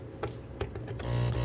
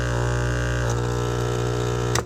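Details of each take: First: Aquarium air pump, lid off, after a part was replaced with a piece of silicone wire insulation: a couple of light ticks, then a soft, even low buzz with no rattle; it runs quietly again. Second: Aquarium air pump with its outlet holes plugged, before repair: a loud, harsh, steady low buzz that stops dead when unplugged, because worn rubber mounts let the metal armature slap the plastic housing.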